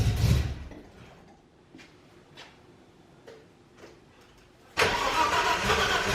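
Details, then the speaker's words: BMW E30 after drivetrain reinstall and cooling system refit: starter churns with faint uneven hits, then a loud rough burst that never settles to idle; cranks but won't start, owner suspects the year-old injectors. "Alright, so car's not starting. I'm thinking it's the injectors just because they seemed a little sketchy when we were putting them in,"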